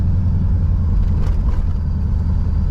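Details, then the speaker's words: 1987 Chevrolet Monte Carlo SS V8 converted from carburetor to EFI, on its first drive while the ECU learns: deep, even rumble under light driving, no misfire, stumble or knock, already smoother than with the carburetor; normal running. "Sounds good. Does sound good. I mean, I can tell you already, just from driving it, we've only been 2 blocks. It already feels smoother than when the carburetor was on it."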